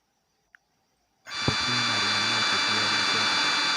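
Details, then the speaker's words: Rickshaw/bus MP3 tape player amplifier after replacing faulty LA4440 ICs and reconnecting speaker wire: silence, soft thump, then steady speaker hiss with faint hum on power-up; first channel producing sound normally again. "और हमारे speaker में भी अभी sound आ रहा है। सो दोस्तों हमारे सिर्फ आईसी खराब थे।"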